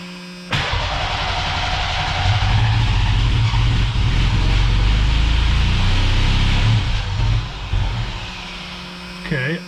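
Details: Cheap old Ford Ranger after new fuel tank, pump, tune-up and fresh gas; regulator hissing: engine roars while starter engaged, then sags and dies once key released; a stuck-open injector is flooding it.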